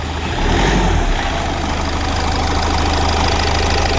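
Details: 2018 Hyundai Accent 1.6 CRDi diesel at idle after engine repair for a number 2 cylinder misfire and knock: steady, even diesel clatter with no extra knock or stumble; engine running smoothly.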